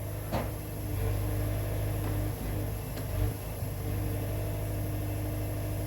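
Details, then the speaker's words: Wood-Mizer sawmill on first cut of red oak after replacing drive belt with correct one for different-tier motor: steady even low engine hum, no slap, squeal or knock; drive sounds healthy, normal running. "this is the first cut that we're gonna make after replacing that drive belt"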